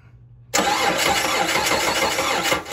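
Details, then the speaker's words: Dodge Charger that broke down on highway, battery charged, spark present, P0303 cylinder 3 misfire code; steady even cranking about two seconds, never fires; crank no start diagnosed as bad fuel pump. "but this one has a bad fuel pump i'm gonna recommend a fuel pump for this vehicle"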